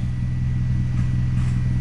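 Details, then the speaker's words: Toyota Celica ST165 All-Trac, idling in garage to operating temperature (~185–200°F, thermostat opens ~185) to diagnose earlier hesitation/bucking, owner suspects catalytic converter: smooth steady low drone, no knocks or misses; closed loop, gauges fine, healthy idle. "and yeah i mean everything screams out fine"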